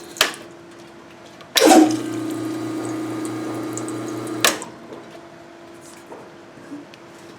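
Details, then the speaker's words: Grindmaster ESP2 espresso machine after rebuild, first fill, heating element drawing 237 W, fan running, group heads on: steady low pump hum with water hissing evenly through the group, no leaks seen. Normal water flow. "i'm not seeing any leaks so far hear the fan running we turn the group heads on we're getting water"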